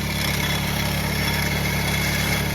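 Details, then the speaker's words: Nissan Sentra B14, cold start around 1000 rpm: loud steady idle drone with a constant whirring hiss from the front of the engine, no clear knock. Bearing suspected, unconfirmed. "Cold, hindi, cold start pa. 1K lang, tama. May, ba't ang ingay? Dito sa harap eh. Bearing?"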